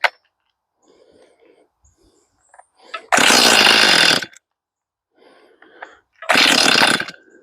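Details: Stihl MS241 C chainsaw with computer-controlled carb, choke-only start, freshly fueled with empty carb: two short raspy one-second revving bursts that cut out; fires but won't keep running, starts then stalls; Seafoam to be run through carb, cause unconfirmed.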